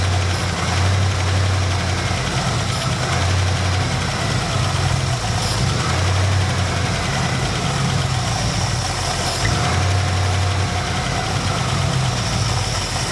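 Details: 1972 Dodge D100 truck, 318 V8, first start after sitting 13 years in a junkyard, running on starting fluid and jug-fed gas: deep low burble rising and falling slightly each second, idling on its own; engine sounds sound.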